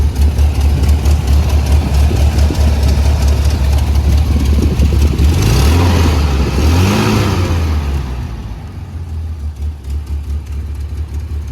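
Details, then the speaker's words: 1981 Toyota Pickup 4x4, freshly rebuilt engine first run, performance cam and Weber 32/36 carburetor: rough loping idle with uneven beat, quick rev blip, back to choppy idle; healthy, normal cam lope. "I also forgot to mention that this motor does have a performance cam in it so um yeah you're gonna be able to uh hear it so I'll show you guys what the motor sounds like"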